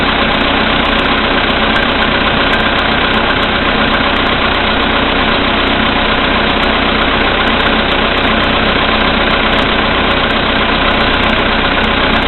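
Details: VW Polo Sedan CFNA petrol engine at 2,222 km, cold start at -5 °C after an overnight stand, oil three matchheads below max, Lukoil 98 fuel: steady quick knock of about four a second at idle; cause unknown.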